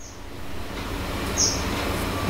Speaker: Nah, terdengar suara desis itu. Kemudian, desisan ini terjadi karena penguatan (gain) meningkat secara otomatis, bukan karena angin, tetapi karena penguatan naik secara otomatis, sehingga level audio di sekitar saya ikut terdeteksi.